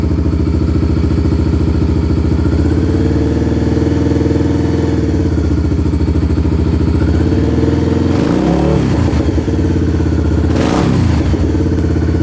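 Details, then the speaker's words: Kawasaki Lakota quad with new aftermarket exhaust, started with no choke after sitting a couple days, warming up: deep, steady single-cylinder thump at idle with two clean, smooth throttle blips; nice deep mellow tone, healthy engine. "Sure sounds good. I'm gonna let it warm up for a second because it's been sitting for a couple days. Man, that's got a nice, deep, mellow tone."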